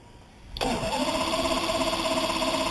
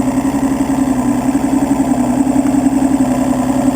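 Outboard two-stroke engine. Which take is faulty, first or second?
first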